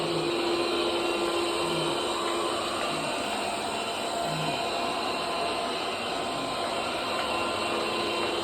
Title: Bobsweep loud noise